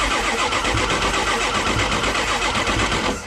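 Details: Diesel truck cranks in an even rhythm, about four beats a second, but never fires; IPR valve already replaced, HPOP line found barely threaded yet no oil leak, so a bad HPOP is suspected.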